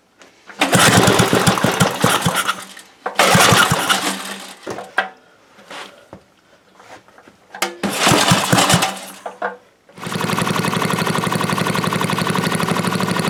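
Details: NOS Briggs & Stratton 5 hp dual-shaft engine, freshly rebuilt, first start: a few pulls catch, then a fast, even single-cylinder run with no misses. Runs well, no smoke.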